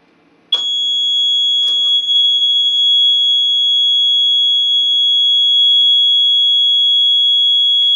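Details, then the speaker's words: Late-1970s ADE Security Systems keyswitch burglar alarm control panel, zones linked out, set to guard: loud continuous high-pitched exit delay buzzer that never stops or times out, so the panel never arms; cause unknown. "you'll hear the buzzer the bus is actually quite loud but then it'll it just won't stop"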